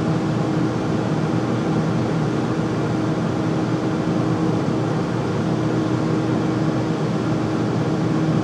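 Loud, constant roar with a steady hum riding on top and no change over time; the furnace runs noisily, cause unclear.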